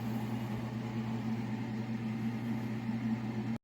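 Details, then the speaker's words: Refrigerator compressor running after installing a Supco URCO 410 3-in-1 start kit: steady, even low hum with no clicking or cycling, fan turning; normal compressor running. "You can hear the compressor going, and the fan is turning here."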